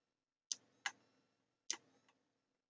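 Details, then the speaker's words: Thunderbird TB10 battery-powered portable strip-grazer fence energiser on the bench, no LED lit: sharp crisp ticks, each a clean discharge pulse, mic held close in a quiet room; pulsing normally, owner suspects wiring problems. "I hear ticking and do we have an LED we don't um but I do hear ticking and I'll let you have a listen if I can hold the mic"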